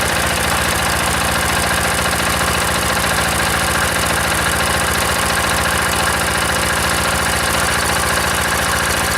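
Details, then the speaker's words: Old single-cylinder diesel, decompressor start: thumping around 214 beats a minute with a slight irregular flutter; idle not quite even, cause unclear. "Still a little bit of a fluttering there."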